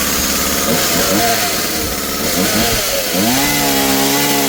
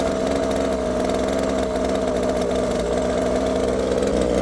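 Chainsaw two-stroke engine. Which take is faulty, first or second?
second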